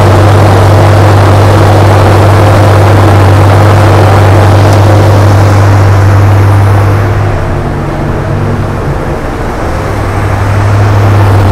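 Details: 1980 Chevrolet Corvette C3 5.7 V8, unused since about 2015–2016, warming up after first start with the choke off and good oil pressure; a deep, even burble with no misses or knocks.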